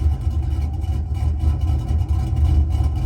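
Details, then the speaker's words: Small LS V8 with a 260/220, .550-lift cam, idle lowered 200 rpm to 750 via HPtuners: steady, even low rumble with a mild consistent lope and no chop or misfire; normal idle. "definitely not bad but it's still not chopping it's pretty consistent as far as the lope the way it sounds the way it's idling"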